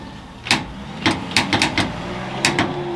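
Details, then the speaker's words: Ford Galaxie big block with a failing charging system, battery at 11.6 V: repeated sharp irregular starter solenoid clicks with no cranking; solenoid itself fine, just low voltage; a weak jump pack and Milwaukee battery couldn't turn it over. "can hear it starting solenoid clicking and doing its thing, so it's I know it's nothing there. It's just a voltage issue,"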